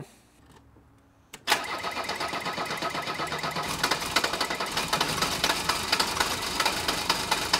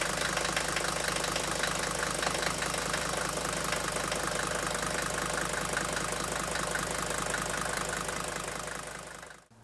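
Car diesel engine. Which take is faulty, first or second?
first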